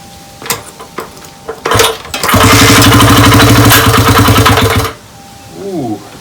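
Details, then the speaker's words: 1998 Honda XR80R, sat for a long time, started cold in the garage after a few kicks. It idles with a sharp, steady clack on every beat; owner suspects the piston or top end and plans to take the head off. "a definite clacking in there I think I'm gonna have to take the head off does not sound good"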